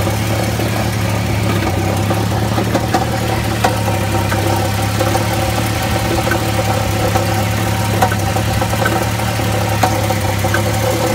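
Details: Jeep XJ 4.0 at steady idle with a light, uneven metallic rattle and scattered ticks over the low drone; engine rattle source unknown, flex plate checked tight and seemingly not cracked.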